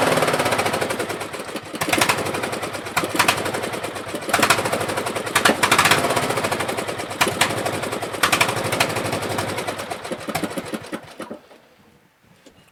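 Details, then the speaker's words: Craftsman 16HP 42" LT1000 lawn tractor on first start, on choke and won't stay running off choke, with oil residue dripping in the muffler. Rapid popping swells and sags every second or so: engine surging, cause unconfirmed. "so it does move forward I didn't get a chance to go backwards yet but as you can see it surges a little bit and it doesn't want to stay running other than choke"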